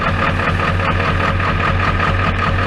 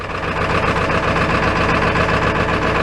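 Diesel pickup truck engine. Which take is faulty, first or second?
second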